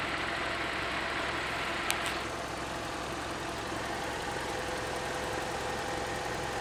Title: Странный стук в двигателе 4A-FE